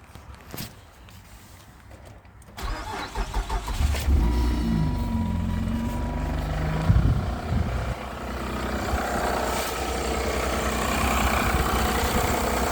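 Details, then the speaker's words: Honda J-series engine at cold morning start: rapid uneven rattle/knock from a failing (likely leaking) timing belt tensioner, which goes away once warm; can set knock-sensor check engine light on cold mornings. "if you have a J series engines making this noise on initial startup in the morning it is coming from a timing belt tensioner failing"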